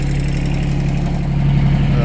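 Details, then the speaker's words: Yanmar 3TNV70 three-cylinder diesel (ex-JD Gator) just swapped into a CAT 300.9 mini excavator, idling: low steady smooth beat, no misses or knocks, real quiet, no smoke; healthy idle. "But yeah, sounds good. No smoke. Yeah, it's running good. Real quiet."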